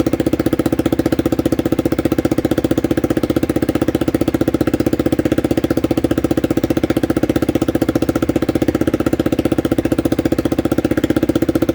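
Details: Honda CBR motorcycle at idle: a sharp, even puffing tick about four times a second, from an exhaust leak.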